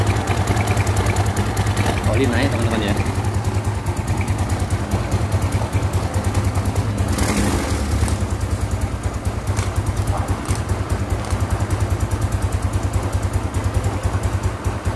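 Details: Yamaha Mio Soul carbureted scooter after top-end rebuild (seized, locked connecting rod from oil problem; cam and rocker reconditioned), first start once reassembled: fires and settles into steady even putt-putt idle, no knocking or rattling; normal idle.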